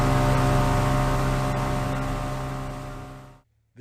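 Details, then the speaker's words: Striper 2300 boat with a Johnson 200HP outboard at wide open throttle: a steady drone that never climbs in pitch, bogging under load and stuck just under 10 mph, won't plane. Loss of power at WOT. "Yeah. Yeah. That's not enough power. That's crazy."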